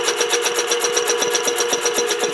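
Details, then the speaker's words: Rebuilt 1940 air compressor running on a new motor, pumping with a quick, even mechanical clatter of about eight beats a second, no knocking or grinding, already building pressure; normal compressor running. "this is a new motor it's not real quick but and it's already building pressure"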